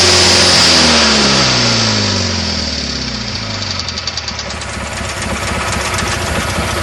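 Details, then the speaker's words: Craftsman GT6000 mower, Kohler V-twin, first start after new fuel pump, rebuilt carb with homemade bowl gasket and air-swirl insert: loud V-twin drops from high revs into a steady even beat, running healthy and revving higher than before. "Hells yeah! I worked hard on this piece of shit. I'm glad it's working now."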